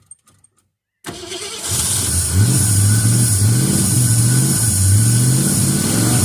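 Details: Ford Fairlane V8 after fuel pump swap and new coil: cranks briefly, catches and settles into a smooth steady idle with an even low rumble, no knocks or misses; normal idle.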